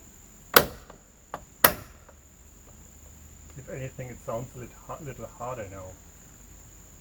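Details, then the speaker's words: Bitter SC door being opened and closed: two sharp hard knocks about a second apart, then quiet; door catch mechanism working but snapping against the body. "This looks like it is working. Just was snapping against the body."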